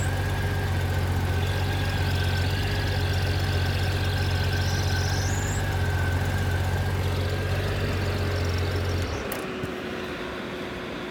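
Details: 1997 Honda GL1500 SE, 56K miles, idling with clutch low on fluid: airy wind-like whoosh with clutch fully released, high whine at slight lever pull, gone at about 4%; slave cylinder full of debris, cleaned and bled.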